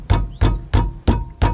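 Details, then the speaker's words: 2013 Suzuki Alto rattling over bumps; bashing the wheel gives five dull clunks with brief metallic rattle from a loose brake caliper on dry slider pins, fixed by cleaning and regreasing; other side doesn't rattle. "can hear that rattle the clunk"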